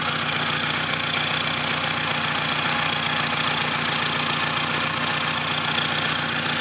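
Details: Saturn SW2 idling with an uneven, stumbling thump of about four pulses a second with irregular gaps, a misfire on one cylinder; it began a few blocks from home, with no check engine light: engine misfire at idle.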